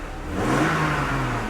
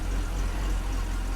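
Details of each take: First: 1997 BMW E39 after new plugs, gasket and grommets: two clean throttle blips, revs climbing and falling smoothly with no miss; engine healthy. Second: 1997 BMW E39 just started after new plugs and gaskets: low lumpy uneven idle rumble; misfire suspected from oil from the plug wells that fell into the cylinders, not confirmed.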